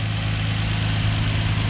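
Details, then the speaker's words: 2004 Infiniti G35X, VQ35DE, right after PCV valve replacement, warming up: smooth, quiet, even idle; previous hissing gone. "Just gotta let it warm up and see what happens. She's nice and quiet."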